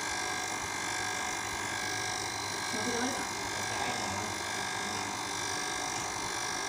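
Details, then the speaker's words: Sanyo water pump after impeller refit and priming with water; steady, even motor hum with a smooth water rush, no rattle or strain, quieter than before and strong water pressure; normal pump operation. "sedot suaranya bersih sekarang Ya maksudnya suaranya tuh enggak kekencangan kayak sebelumnya"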